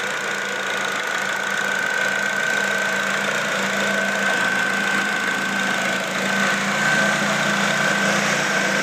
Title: Exhaust leak :/